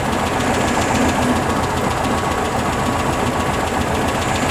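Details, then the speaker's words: 1974 VW Beetle flat-four with dual 34 carbs, just tuned: even, steady chuff at idle with no knocks or misses; starts and runs healthy, valve cover leak and valve adjustment still pending. "all right so we're tuned in she Keys over she runs she idles"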